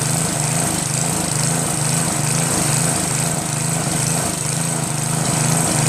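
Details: Northern Hydraulics pressure washer, Briggs 3.5 hp engine with primerless vacuum fuel reservoir, unused 8 years; after starter fluid start and fixing hose, wand and clogged rusted tip, steady even putter with spray hiss, no misses; running normally, low psi.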